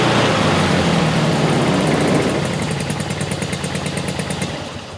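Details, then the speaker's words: Rare two-cylinder Fiat 500-based Abarth 695 racer with Weber carburetor and added electric fuel pump, just started and clearing from one cylinder to two; runs strong with an even beat, revs nicely above 2000 rpm, good oil pressure; normal running. "it sounds good it revs nicely above 2000 rpm had a good oil pressure i like it"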